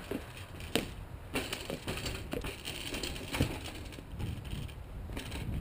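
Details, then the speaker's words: Older Mont-Cenis bicycle bounced down stairs on a test ride after reconditioning: irregular metallic clicks and clunks, not hub, bottom bracket or headset but a spare bearing cone loose inside the frame. "well right there we got a problem and we can hear it it's a rattle not the Hub not the bottom bracket not the headset nothing up here it is actually a rattle it's that mystery piece that cone the extra cone that's floating around"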